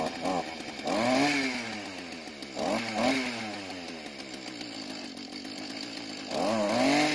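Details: Mantis tiller two-stroke after carburetor adjustment (L screw half turn counterclockwise, idle screw clockwise); fast idle with quick clean rises and drops in revs, runs much better, load test still pending: normal running.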